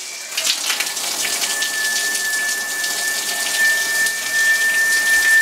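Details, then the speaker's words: Running shower hiss with a thin, steady high whistle rising in, squealing whatever the adjustment; the old brass showerhead was the cause, and a new head stopped it. "must have been the showerhead no more squeal no Flow Restriction in that at all no matter how I adjust it it would just whistle"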